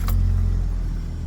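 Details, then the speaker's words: 2002 Toyota Tacoma regular cab cold start after sitting overnight: it fires right up and settles into a steady, even low rumble with no knocks or misses; a normal cold start. "sure if you heard that, but that fired right up."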